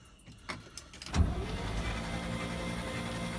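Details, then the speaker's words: 1968 International C1100 truck, first crank after about 36 years unused, spark plugs removed: starter spins the engine in an even, quick whir with no compression pulses, speeding up slightly; turns over freely. "now obviously i don't have any compression because all the spark plugs are out but he's cranking good"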